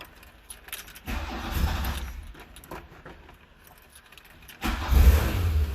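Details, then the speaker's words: 1975 VW Scirocco out of storage 34 years, first start: fires briefly, fades and dies, restarts and revs but won't idle; needs choke, battery light on (no charge), oil pressure present; rat debris found. "or an idle attack does not work needs a bit of a choke it's running no charge battery lights on it's running oil pressure I think we need to put the choke on"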